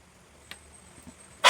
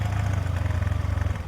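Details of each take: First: TVS Ntorq 125 BS4 scooter with hard morning starting and an auto choke not working, self-started with the engine temperature sensor wire unplugged: near silence, then it catches at once and settles into an even putter; temperature sensor suspected faulty. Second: TVS Ntorq 125 BS4 scooter with hard morning starts, auto choke not working; idling with auto choke sensor held in place. Quick, even cold-start fast idle with a light steady tick over the low thrum.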